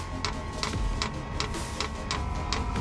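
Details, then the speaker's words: Chinese diesel heater in a 2018 Ford Transit diesel van, tapped into the Ford tank's auxiliary line: crisp, evenly spaced ticks, about three a second, as the dosing pump underneath primes an empty fuel line until diesel comes through. "hear that ticket that's the pump underneath trying to pull yeah you can hear the pump ticking trying to pull diesel through"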